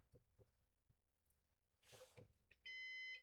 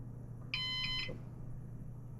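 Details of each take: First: Used Synology DS418 NAS during initial web setup: two short flat electronic beeps about three seconds apart in a quiet room; cause unknown, possibly because it is in setup mode. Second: Used Synology DS418 NAS, first power-on with newly installed drives spinning up: single short high beep over a low steady hum signalling it has finished booting; normal boot.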